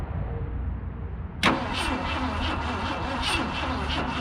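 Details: 1966 Ford Galaxie, 352 V8 four-barrel, automatic, first start in 26 years after replacing and gapping points: starter whirs, catches with a sharp burst, settles to a steady slightly lumpy idle; still smoking.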